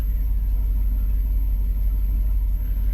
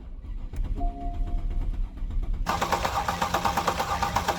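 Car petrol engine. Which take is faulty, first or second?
second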